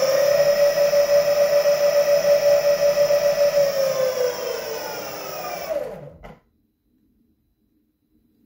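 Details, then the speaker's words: Meepo electric skateboard converted from hub motors to BoundMotor direct drive motors running sensorless on the Meepo controller: steady motor whine sags and dies within a second or two after power drops, wheel doesn't roll freely; owner blames very stiff supplied bearings. "you see that it didn't really go he didn't really roll freely it stops almost like within a second or two still one more time"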